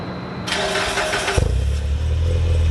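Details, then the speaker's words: Mitsubishi Ralliart cold start: brief crank, then it settles into a low steady idle without the usual high RPM flare. Owner suspects the throttle position sensor or accelerator pedal position sensor; parts are on order, cause not confirmed. "every time I started up now it kind of doesn't go to as high RPM range as it normally would on start ups"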